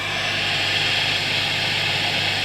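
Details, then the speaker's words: Marshall Origin 50 guitar amp with a very loud hum fault, about 500 V plate voltage, tubes warming up: steady, even white-noise hiss with a faint low hum beneath, no crackle; power section passing signal to speaker. "the tubes are coming up 1920 and i can hear a horrible hissing noise coming through the speaker"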